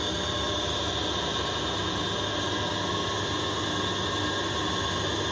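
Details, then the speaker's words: Lathe skimming the warped Fordson Major twin-plate clutch intermediate (floater) plate, half-mil cuts from centre outward: constant harsh hiss with fixed ringing tones; thin plate resonates and chatters, poor surface finish but now flat. "now I mean the surface finishing brilliant because it's it shatters quite a bit but at least it's flat now"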